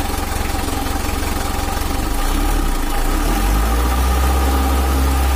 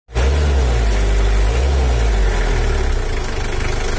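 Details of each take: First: Mitsubishi L300 4D56 diesel, factory-stock and untuned since 2016, weak on hills and sluggish, before tuning: steady low clatter at idle with an uneven, coarse rough undertone; cause not pinned down, something inside suspected and to be checked. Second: Mitsubishi L300 4D56 diesel, still factory standard, untuned since 2016, complaint of weak pulling, just after adjustment: steady low rumble with even beat, no misses or knocks; smooth settled normal idle.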